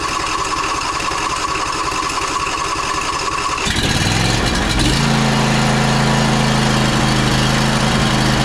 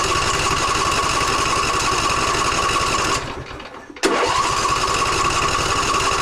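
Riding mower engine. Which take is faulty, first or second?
second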